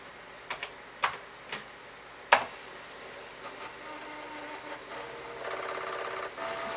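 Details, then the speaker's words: Commodore 1541 disk drive on a Commodore 64, reading an unknown old disk: a few sharp irregular clacks then buzzing stepping chatter with no steady read rhythm, red light blinking; failed read, unclear whether disk or drive is bad. "I don't know if those are good noises or not. Well, it attempted to read. And I have a blinking red light, so that's probably not good."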